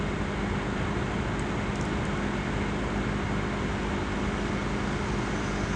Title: CPU Fan Gets Loud Noise On Asus laptop Before CoolCold Vibration